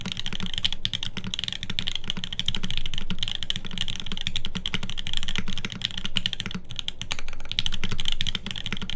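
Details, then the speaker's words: TGR Jane v2 keyboard rebuilt on an aluminum plate with Tribosys-lubed OP Black switches and GMK SoWaRe keycaps: quick, even, crisp clacks from steady typing with no rattle or ping. It sounds like a healthy keyboard. "So here it is again. This is OP Blacks on an aluminum plate."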